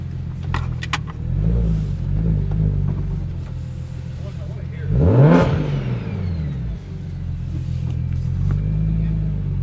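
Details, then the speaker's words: BMW N54 with Doc Race single turbo kit, first drive: clean pulls, engine pitch sweeping up and dropping on shifts, no misses, exhaust no longer rattling; healthy under acceleration. "this car feels so good sounds way different holy sounds good exhaust isn't rattling anymore too which is nice"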